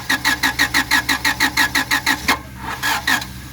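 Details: 1997 Honda Civic: steady starter cranking at about one and a half compression pulses a second, engine never catches; crank, no start.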